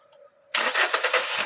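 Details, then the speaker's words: Hyundai i20 petrol just started: uneven, stumbling beat from a misfire on one cylinder, ignition coil melting because a burnt ECM coil driver holds the coil on; coil two recently replaced. "गाड़ी को हम लोगों ने कर लिया start गाड़ी का engine कर रहा है इस तरीके से मिसिंग ओके इसपे से साफ है"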